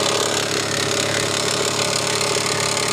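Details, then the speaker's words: 2001 Mitsubishi Montero Limited 3.5 at idle: loud, fast, even knock steady over the idle; suspected bottom-end crankshaft-area noise, source uncertain. "when you have one noise in the bottom for the engine the crankshaft in this case I want to start the vehicle to show you what is the noise"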